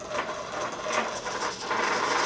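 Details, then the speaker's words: Naze flight controller set up for a HobbyKing Skipper XL plane with D gains at 23: fast buzzy servo chatter in uneven bursts from desk vibration alone, no input; excessive derivative gain, fixed by setting D to zero. "that shattering shattering like crazy and it's not supposed to do that so look at I'm not even touching you just a vibration out of the desk there"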